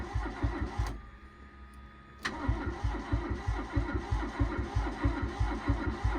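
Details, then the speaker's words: Barn-find Toyota AE82 Corolla 4AGE after the injector fuse checked OK: steady starter cranking at about a beat and a half per second, a short pause, then more cranking with some pops that never catches; cranks but won't start. "Come on, baby. Oh, it's trying. Oof. There's some pops."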